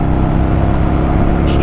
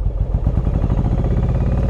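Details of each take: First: Yamaha Virago 1100 V-twin after carburettor repair (fuel level adjusted, emulsion tube O-rings swapped), riding on road at about a third throttle: deep even drone pulling steadily without stumbles; normal running under load, stronger than before. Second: Yamaha Virago 1100 V-twin at idle/low revs: lumpy, loping idle running only on the front cylinder, with the rear cylinder dead despite spark. Owner suspected fuel; the carburettor float valve was found gone.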